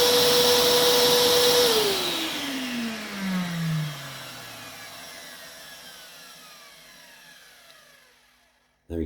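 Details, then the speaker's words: Old Vax 6131t Multivax vacuum cleaner after replacing a noisy, high-pitched motor: steady high whine then a smooth, even spin-down after switch-off, no scraping or rattle, a bit quieter; normal motor run. "there we go it's working it sounds a bit quieter"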